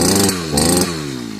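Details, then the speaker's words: Sviatyaz BT-430 two-stroke brushcutter after replacing a faulty spark plug that kept getting wet: starts first pull, revs cleanly and settles to an even buzz with no misses; healthy. "дивіться з першого разу ножкою прижмуко потримаю завелося все чотнько"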